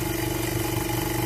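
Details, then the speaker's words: Oxygen concentrator compressor at about 2 liters per minute flow: fast shaky pulsing, clattery hum, hard vibration while gauge jumps violently around a little over 2 bar and compressor runs hot; cause unknown. "It's jumping back and forward. It's on 2 bars. A little bit more than 2 bars, actually. You can see how it's jumping very violently."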